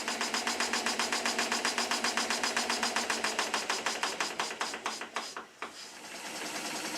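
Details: Stuart S50 slide-valve model engine run on compressed air before shortening the over-long slide valve: sharp, even knock about four times a second on every stroke, fading as it slows, from late slide valve timing.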